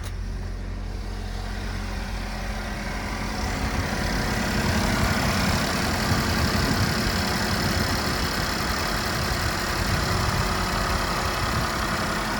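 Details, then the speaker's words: Chevy Equinox/GMC Terrain 2.4L just restarted after a throttle body cleaning: smooth, even idle with a steady low hum and no skips, knocks or surging, a normal clean idle. "So that was actually pretty nice and smooth. Just make sure everything's running smooth."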